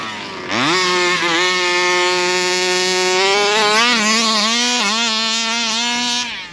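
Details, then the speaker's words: Rovan Baja 5B RC car two-stroke after carburettor adjustment following shelf storage: sharp buzz climbs quickly and holds clean steady high pitch at open throttle without stumbling; now sounds better at open throttle, before it stalled. "Nice. Now it sounds a bit more better open throttle."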